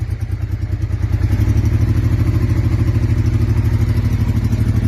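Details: 1999 Honda Deauville 650 twin after carb overhaul with new membranes and pistons and a broken front-cylinder spark wire repaired: strong, even low thumping at a steady pace, no dropouts, firing on both cylinders; carbs not yet balanced.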